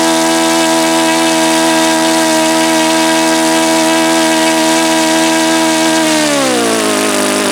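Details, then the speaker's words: Saito FA-72a model engine, first run with APC 12x7 prop, outdoors at about 71°F: high steady buzz sagging to a lower, thinner note when throttled back; owner suspects too lean at the low end. "See, now that seems like it's too lean on the low end there."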